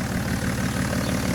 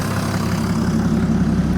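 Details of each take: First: BMW E60 535d, 286 HP M57D30 diesel, in for overheating and excessive coolant pressure: heavy even idle clatter with deep loud drone, steady; louder than stock, suspected to lack a DPF, not confirmed. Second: BMW E60 535d M57D30 286 HP diesel after overhaul for overheating and excess coolant pressure (head repair, timing chains, bearings, damper, rebuilt turbos and injectors): deep steady clatter at cold idle, even rhythm, turbo hiss on top. Normal cold idle.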